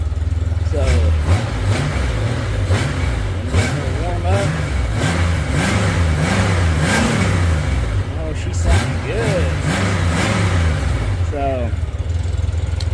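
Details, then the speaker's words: 1997 Honda GL1500 GoldWing SE flat-six, warm, after timing belts, coolant and spark plug service; several clean blips that settle back each time, smooth and even with no knocks or ticks, healthy. "bike's running great sounds great and now we're going to proceed forward with a couple other items so let's get up here and give her couple of revs here"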